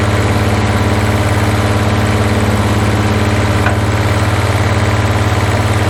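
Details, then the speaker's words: 1981 Toyota Hilux RN46 4x4 with 18R-C engine, freshly rescued, running off a hand-held fuel can: strong steady rumble, slightly uneven beat and one sharp backfire pop, sounds like all cylinders firing; owner guesses timing slightly out. "I've got it running off the fuel can and's happy to risk her life to hold the fuel while it's backfiring"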